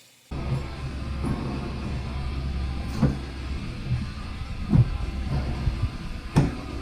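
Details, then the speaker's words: 2003 Walker MT riding mower running: steady low rumbling drone with rough grinding from worn idler pulleys and crossover/transfer shaft bearings, loud enough to hear over the mower while mowing; fix is replacing the idler pulleys and shaft bearings. "I don't know exactly what they call that thing, but anyway, they were making a whole lot of noise, and you could hear it over the mower itself running and mowing the grass, so it was pretty"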